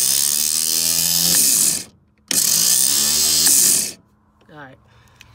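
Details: '65 Chevy C10 with rebuilt starter: two harsh, high-pitched grinding whirs with no engine turnover. The pinion is not fully engaging the flywheel, and the owner thinks the forks were fitted wrong.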